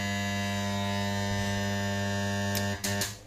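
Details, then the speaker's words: Stranger PBT501 500 W DJ amplifier, with a capacitor fitted during repair: a steady low hum with buzzy overtones, reduced but still present; a power-supply filter capacitor is suspected weak, so both capacitors are to be replaced. "तो हमें capacitor दोनों ही बदलने पड़ेंगे इसके अंदर capacitor दोनों ही बदलने पड़ेंगे, क्योंकि हमें लग रहा है कि ये वाला वीक है हमारा। ये आती दिक्कत कैपेसिटर से है।"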